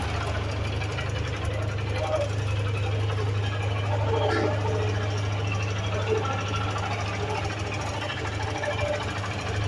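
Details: Suzuki Gixxer motorcycle at idle: quick, rattly metallic tapping, about two to three per second, over a steady low engine hum. Engine knocking noise, cause undetermined.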